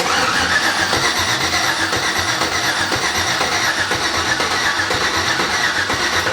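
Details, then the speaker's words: 1987 Chevy S10 with an LS engine swap, first start attempt, gas pedal not moving the throttle body: strong, even cranking with steady compression beats nearly three a second, never firing; normal cranking, no start. "Sounds healthy. Yeah, it does. There's no real concern immediately."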